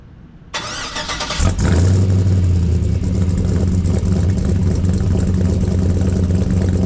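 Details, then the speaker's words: 1984 Chevrolet squarebody V8 truck; short crank, catches cleanly, settles into steady even deep idle with no misfire or stumble; normal idle. "sounds great right"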